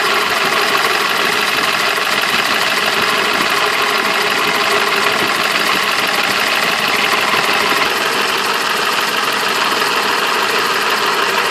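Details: BMW M20 B27 engine at steady idle: fast, fine ticking knock over a bright, thin engine sound; the engine is knocking at idle.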